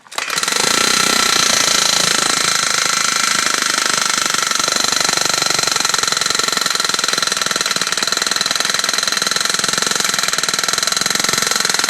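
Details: Engine with gearbox and clutch removed, started with choke: rapid, sharp metallic clatter about three beats a second over the running engine persists; source not pinned down.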